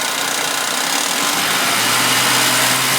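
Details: Suzuki V6 Vitara on a warm start: steady, hissy metallic clatter at about four beats a second at idle that does not worsen with a rev, if anything quieter; rattle, owner suspects worn timing chains and tensioners.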